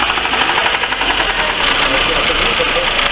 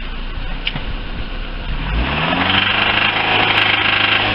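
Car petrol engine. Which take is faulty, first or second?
first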